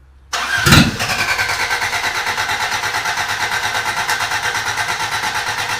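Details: Toyota Corolla engine just reinstalled and reassembled, after a bad starter ground was found: starter spins briefly, the engine catches at once and settles into an even, steady idle with no knocks or misses; normal start and idle.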